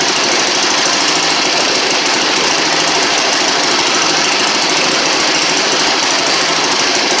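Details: 1960 Harley Ironhead Sportster, sat since 2010, running after magneto points and condenser checked, fuel flushed and fresh gas added; loud, rapid, even air-cooled twin clatter at steady speed with no stumbles, first start in 10 years.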